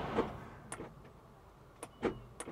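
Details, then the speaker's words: Flood-damaged Audi SQ5 Prestige, 96,000 miles: a couple of sharp clunks as starter engages, no cranking; engine locked up tight, possibly hydrolocked. "oh yeah those cables are hot so starter is definitely engaging trying to turn the e"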